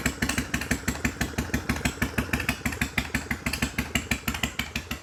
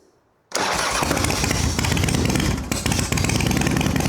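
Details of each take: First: 1993 Harley-Davidson FXDWG Evo after ultrasonic carb cleaning and carb adjustments, running in the shop: lumpy, loping twin idle at roughly three beats a second, steady and clean with no misses or clatter. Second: 1993 Harley-Davidson FXDWG Evo V-twin at first start after carburetor cleaning, choke out, fed from an external fuel bottle: uneven spitting and popping. An intake leak was considered but doubted; the carburetor air-fuel mixture is set wrong and needs adjusting.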